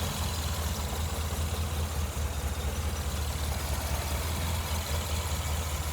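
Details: Le Mans green Mk1 Ford Escort idling after fitting a standard crossmember and mounts in place of the World Cup competition crossmember, plus an electric fan kit. Steady low idle with an even beat around 2.5 per second and no clunks or rattles. The car no longer shakes. Normal idle.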